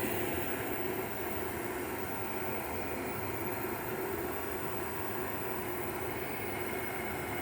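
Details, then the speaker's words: Hisense dehumidifier just after compressor startup: steady, even refrigerant (Freon) hiss with a faint low hum and no knocks or rattles, indicating normal refrigerant flow. "compress start up here we go it went you hear that Freon"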